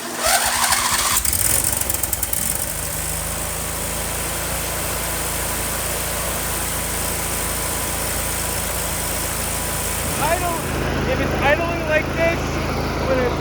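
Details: John Deere D170 lawn tractor after carburetor replacement and governor arm reconnection: brief crank then fast steady idle that stays high; idle too high until throttle adjusted with a flathead screwdriver.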